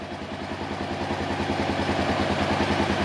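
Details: Honda XR650L with 1,653 miles running after CDI box replacement fixed a crank-but-no-start breakdown: steady, even thumping single-cylinder idle with no stumbles or misses, healthy.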